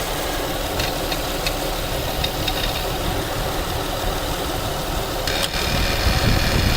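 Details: 2008 Acura TL 3.2L at about 105k miles idling: a light, uneven rattle several times per second, getting busier, from the passenger-side serpentine belt area; appears at start-up and when the AC fan kicks on, cause unknown.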